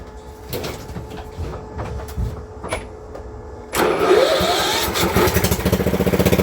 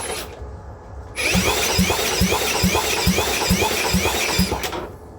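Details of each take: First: Engine for a motor swap on a blown-up Cub Cadet mower, started with extra gas and no exhaust fitted: it cranks, catches near four seconds, then runs loud and rough at a steady lope, still needing oil. Normal running. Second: Cub Cadet mower, no exhaust fitted, fuel added and battery charged: even cranking thumps a little over two per second with no catch or firing; spark confirmed present, more fuel suspected needed; cranks but won't start.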